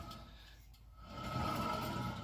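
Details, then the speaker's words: Toyota Tacoma 4x4 jacked up, front hub spun by hand with no load: a rough, gritty rumble with a faint whine from a worn hub bearing; the driving complaint is a howl that gets louder with speed. "the concern on this is a howling sound it's like the faster I go the more the louder it gets"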